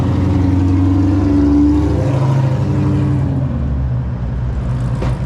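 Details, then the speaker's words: Pontiac GTO with a stall converter, on its first drive on tuning day after the cooling system was burped and transmission fluid topped off: deep lumpy V8 rumble pulsing like a big cam, settling to a steady lope; normal cammed idle. "See that exhaust chicken? Whew. Yeah, she sounds good so far."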